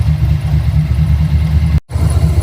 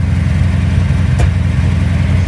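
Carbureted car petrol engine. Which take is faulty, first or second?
second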